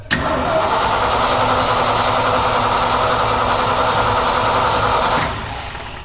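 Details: Old fire truck being cranked with starting fluid and gas pedal pumped: starter churns steadily about three to four turns a second for five seconds but never fires; no fuel reaching the carburetor.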